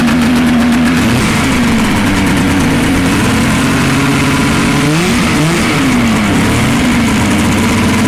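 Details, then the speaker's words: Arctic Cat Pantera 500 snowmobile, a 1977 or 1978 auction find (owner unsure of the year), rebuilt on a budget. The two-stroke burbles at a slow, slightly lumpy idle with one throttle blip. The idle is set too low and needs raising. "Need to increase the idle a bit, but that's a sled."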